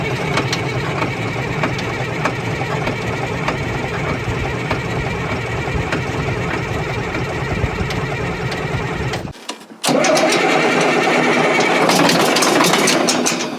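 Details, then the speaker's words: Caterpillar 977L track loader diesel facing scrap, throttle not working: steady starter cranking about three beats a second, never fires; no fuel seen reaching injection, and fuel later found squirting from an open bleeder. "are you seeing anything yet no no fuel no no you got it off"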